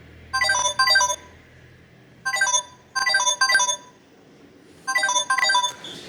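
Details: Samsung Galaxy A20 after a no-loudspeaker repair, with screws refitted to press down on the loudspeaker. The ringtone plays from the settings menu clear and loud in paired bursts, with no rattle or distortion; healthy loudspeaker.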